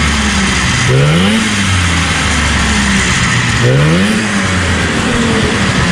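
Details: 1977 Arctic Cat El Tigre 4000 440cc free-air two-stroke, Mikuni round-slide carbs, after needle clip adjustment to cure a low-end bog: revs up cleanly twice and drops back smoothly, no bog or stumble; healthy.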